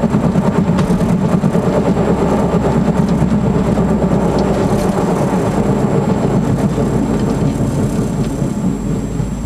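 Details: 1999 Honda Accord while driving: steady low droning rumble under road noise from worn passenger-side wheel bearing; replacing the other side's bearings and axle didn't help, replacing the passenger side cured it.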